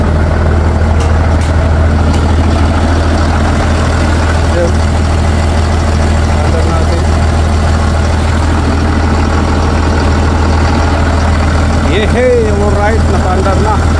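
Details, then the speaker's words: Mitsubishi Fuso Fighter truck, 6M60 diesel, previously wouldn't start (suspected ECU); after accessing ECU: low, even diesel idle with steady beat, no knocks or misses; many fault codes still present. "Ignition on. Start. Yun. Umandar na mga par."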